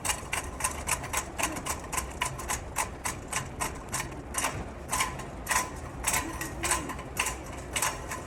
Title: One of those shopping carts. Clunk Clunk Clunk. Sounds like working on the railroad.